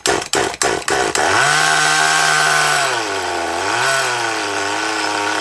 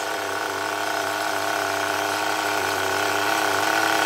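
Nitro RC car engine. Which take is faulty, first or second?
second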